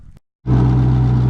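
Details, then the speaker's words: Twin-turbo C5 Corvette, engine stock except turbos, first start after turbo upgrade with turbo blankets fitted: after a short gap it fires and settles to a strong, even low rumble, no hiss or ticking; healthy idle, no leaks, oil returning. "good so far. No leaks. This motor is pretty much stock except for the turbo, so it doesn't have a camera or anything, but it sounds good."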